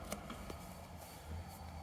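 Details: Kingroon KLP1 3D printer power-supply fan after lubrication, which before growled loudly: now only a faint, steady low hum with no growl or rattle, almost inaudible; fixed.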